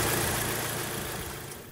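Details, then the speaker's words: Audi S3 after tightening a loose turbo heat shield plate that caused an exhaust-like rattle: smooth, even idle with no tinny metallic rattle, sounding healthy. "let's start her up yeah sounds good can't hear any rattling as i did before obviously because that plate's now tight"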